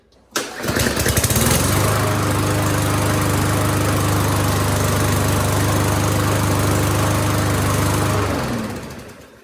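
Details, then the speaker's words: Troy-Bilt TB200 lawnmower after cleaning ethanol-clogged carburetor, oil checked full, primed: catches on first pull and settles to a steady even running beat with no misses or surging. Normal start and run. "Yeah, first pull runs great."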